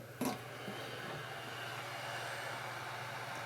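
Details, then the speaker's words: DigiBee 400 LED light, original high-powered 50 mm cooling fan: steady airy whoosh with faint low hum throughout; loud cooling fan noise. "the original fan is a 50 millimeter fan and it's quite loud it's a very high-powered fan"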